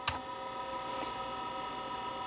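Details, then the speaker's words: IBM PS/2 Model 30 286 (10 MHz 80286) proprietary hard drive at boot: faint sharp seek ticks about a second apart over steady electronic whine, drive re-seeking after read error before retry. "oh there we go you have an error code they a error Reading Drive seat let's retry"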